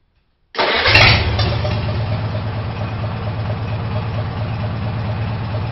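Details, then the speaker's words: Farmall H tractor after carburetor adjustment: engine fires right away and settles to a slow, even chug around 450 rpm, clear exhaust, no misfires or fuel leaking from the carburetor; smooth, healthy idle. "so as you can hear it's idling at around 450 RPMs it's good smooth idle the exhaust is clear there's no gas leaking out of the carburetor"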